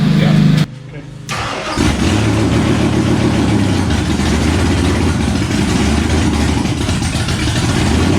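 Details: Stroker Windsor V8 in a Fox Body, first start after install, weak battery earlier and small leaks: fires after cranking, then idle wanders and surges without settling; needs throttle babysitting, won't idle on its own.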